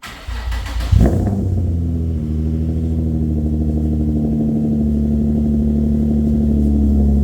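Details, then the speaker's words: Infiniti G35 coupe, 6-speed, original VQ35DE V6, started after sitting a long time: catches after a short crank and settles into a deep, steady, even rumble through a louder exhaust, deep enough to vibrate your chest; healthy idle. "That is so deep. Do you guys have any bass on your headphones? This thing is super deep. It like vibrates your chest."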